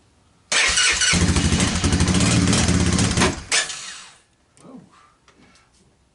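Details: 1998 Honda FourTrax 300 ATV, cold start right after a new battery was fitted following long-running starting issues: brief cranking, then the engine catches at once into an even, steady idle. Normal cold start.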